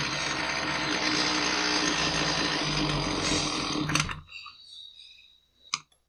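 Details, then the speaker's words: Husqvarna 128L string trimmer after new fuel lines; it was boggy and inconsistent under carburetor adjustments, slightly richened. Uneven high-speed buzz that sags and dies after about four seconds. Running lean from a metering diaphragm found rock-hard. "It didn't respond consistently to my efforts to that's a clue. And in this case, I feel that the metering diaphragm is probably stiff."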